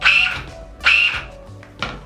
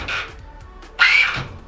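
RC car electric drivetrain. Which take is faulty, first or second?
first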